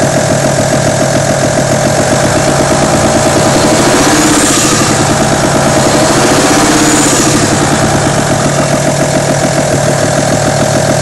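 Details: Audi A6 2.5 TDI diesel at idle with a loose, fairly even clatter of about three to four taps a second; top-end rattle suspected from the camshaft, hydraulic lifters or rocker arms, unconfirmed.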